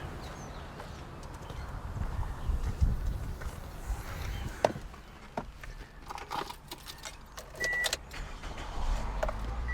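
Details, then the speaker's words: 2006 Toyota Corolla, no-start after losing fuel while driving, on its third aftermarket fuel pump, starter fluid sprayed into intake: engine catches briefly, runs a few rough seconds, then dies; no fuel delivery; fuel pump failure. "looks like we basically got just a classic fuel pump on this thing"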